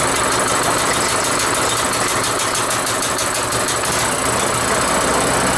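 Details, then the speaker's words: Rototiller single-cylinder engine after carburetor cleaning, cold, just started with choke on: busy idle with light quick tapping about three per second from the rocker cover, otherwise running really well. "Got a little noise coming out of that rocker cover from the back and forth, but wow! That's actually really good."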